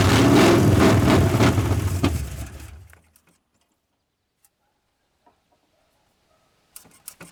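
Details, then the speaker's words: 1981 Ford Mustang 5.0, off the road since 1996, with a new fuel injection hose fitted: even, rhythmic starter cranking for about 2.5 seconds with no catch, then silence; no start because the fuel tank petcock was left closed, starving it of fuel. "This fuel tank has a petcock on the bottom. I forgot to turn it on. Well, there we'll get some fuel flow."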